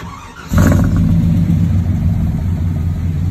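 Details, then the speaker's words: 1998 Chevy K1500 after fixing AC compressor wiring fault: quick catch after brief crank, then smooth even low idle with no stumbles or ticking; normal start and idle. "oh don't that sound good"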